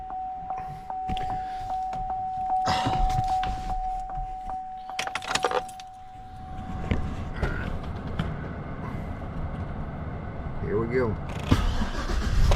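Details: 2500 HD with low oil pressure, hot restart after fitting a billet oil pump bypass valve; key chime, engine catches and settles to a steady low rumble, no knock or tick; about 10–12 psi more oil pressure hot.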